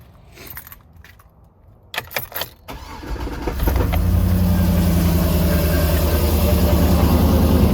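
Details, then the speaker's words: Escalade after LS9 camshaft, VVT delete and long-tube headers, started in the morning: lumpy idle with a steady rhythmic beat underneath; owner suspects a cracked flexplate or starter hitting the flexplate, not confirmed. "thank you still have this noise all right so unfortunately we still have a mystery noise which I think at this point I have determined is the flex plate apparently it's a semi-common issue"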